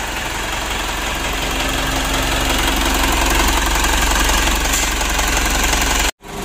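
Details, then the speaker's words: 2012 Pajero Sport Dakar diesel after engine rebuild, warmed up about 3 hours, coolant replaced with green coolant: steady, even idle clatter with no misses or irregular knocks; normal warm idle. "Mesinnya sudah dipanaskan selama sekitar 3 jam sekarang."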